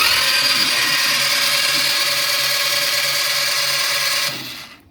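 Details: 2011 Coral Edition (model transcribed "TM WV 150"): it was running, made a sound and shut off. Now it has fuel pressure and spark, but the starter spins with a steady high whine for about four seconds and won't catch; cranks, no start.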